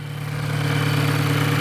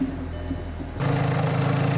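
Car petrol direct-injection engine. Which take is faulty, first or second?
first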